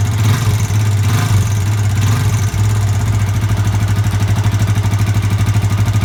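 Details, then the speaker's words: Yamaha Vixion (same engine as Jupiter MX), radiator removed, idling with throttle blips: a rapid uneven metallic klitik ticking that follows the throttle, from a worn, shrunken piston and worn cylinder bore, i.e. piston slap. "ini suaranya piston ini piston yang bodol"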